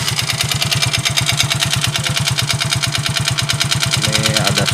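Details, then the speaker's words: Yamaha Mio GT Fi scooter engine, once run down to a quarter small glass of oil, idling: a loud, steady, regular knock about three times a second over a rattly idle; an internal knock after oil starvation. "suara tetap jernih ini dulu pernah kehabisan oli ya pernah habis oli sampai tinggal seperempat gelas gelas minum yang kecil ya tinggal seperempat ini muncul suara ininya ketika udah lama jadi muncul juara seperti ini suara pukulan ya"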